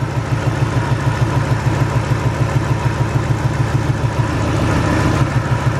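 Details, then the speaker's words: Ford 4.6 modular V8 at idle: lumpy, uneven pulse about three times a second; unplugging cylinder two's coil leaves idle unchanged, confirming cylinder two misfire, coil or spark plug still to check. "and the idle still the same that tells me it's cylinder number two that's that"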